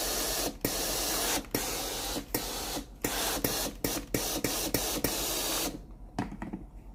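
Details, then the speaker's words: Philips GC9315 steam iron after replacing the broken water valve coil: pressing the steam button rapidly gives crisp valve clicks about three a second, each with a steam hiss, matching the presses; valve working normally. "ถ้าเรากดปุ่มจ่ายน้ำนะครับถี่ๆนะครับเสียงวาล์วก็จะดังถี่ๆนะครับตามจังหวะมือที่เรากดนะครับ"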